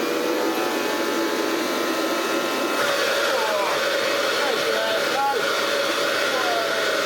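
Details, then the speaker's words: Hoover Junior 375 upright, 1950s–60s, stored for decades, run without its belt (the belt wouldn't turn): a steady high motor whine with a choked rush of air. The motor runs well, but the old dust bag is blocking the airflow. "That suddenly runs a lot better. This thing is blocking 110% of the airflow of bling."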